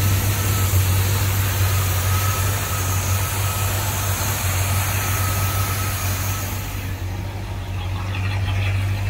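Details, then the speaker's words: 1984 Chevy C20 square-body service truck after all-new exhaust (previously ran choked): deep, steady low rumble at fast idle, even exhaust note, no knocks or rattles, no smoke; smooth normal idle. "no smoke sounds like a sewing machine in here"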